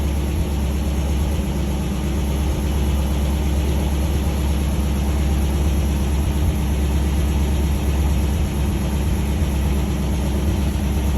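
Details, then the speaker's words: MGB petrol engine idling with unadjusted carburetors and good oil pressure; a fast light ticking rides over the low rumble from old valves with loose clearance. "hear them old valves they clicking you know they got a little [Music] clearance"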